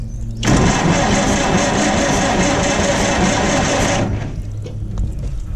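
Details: Massey Harris tractor that sat 4-5 years with old gas and slow fuel flow: quick, steady cranking for about 3.5 seconds with no firing; turns over well but won't catch while waiting on fuel, with a new fuel filter planned.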